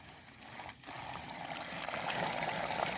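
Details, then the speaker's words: Hissing, sputtering rush of air with gurgling water as trapped air vents through a newly installed T-piece vent valve on a gravity-fed water line from a hillside village tank. "wie wie die Luft hier wie viel Luft in der Leitung ist."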